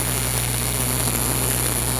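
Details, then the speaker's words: Miller RMD MIG welding on pipe, slight drag angle with the wire in the front third of the puddle and no keyhole: even, crisp, consistent crackling hiss over a low hum with no pops, a stable arc. "We want that wire to be right on top there in the front. We want a real consistent, crisp sound."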